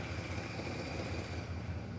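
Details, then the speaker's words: First start after a long starter-replacement battle: a smooth, even low rumble at a steady idle with no knocking or smoking, so the engine sounds healthy. "this sounds great it's not knocking it's not smoking yes"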